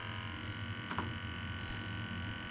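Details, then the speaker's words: New Worcester 8000 combi gas boiler, just installed, held on low fire for combustion testing: quiet, steady low hum with an even burner note and one brief click; running smoothly, all normal. "just leave it on low a minute. So that's just low fire at the minute."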